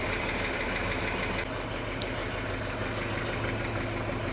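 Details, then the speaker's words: 1941 Chevy on rebuilt Carter W-1 carburetor, cold, in neutral; steady low idle holding on its own, even slightly loose beat, no knocking, owner unsure accelerator pump works, intake suction heard: normal cold idle. "I think it's running on its own at least, but I don't think we have an accelerator pump."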